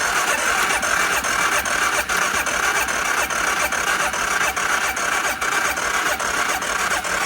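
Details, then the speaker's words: Used ATV from a multi-machine lot, little fuel added, petcock and carb suspected leaking: on choke it pops unevenly, barely catching, and fuel leaks; rough first start. "Let's see. Choke. Oh, she popped. Oh, yeah. She's leaking."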